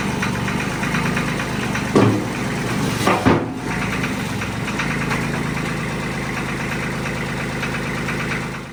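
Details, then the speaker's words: Mahindra tractor diesel at first start-up after assembly: steady idle with light quick ticking over it; owner suspects valve lash needing adjustment, hoping it was only a lifter needing to pump up. "now all that tapping noise that it was making what do you have to do to clear that I'll have to go back in and check the adjustment on the valves I'm hoping it was just a lifter that needed to be pumped up but it sounds like it's gonna have to be adjusted"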